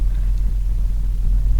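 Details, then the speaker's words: 2003 Hummer H2 idling with the check engine light on and shaking: a deep rumble with an uneven beat and dropouts. Scanner shows cylinder 1 and cylinder 8 misfires and code P0300. Engine misfire at idle. "Okay guys, as you can see right now we have cylinder number 1 Misfire. It's out in 5979 right now, and also cylinder number 8 Misfire."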